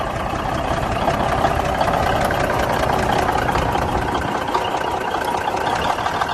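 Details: 1971 Peterbilt 352 diesel idling after water and debris were cleaned from the filter-to-injection-pump line: rough, with irregular thumps of a miss and a lazy throttle; owner suspects the injection pump.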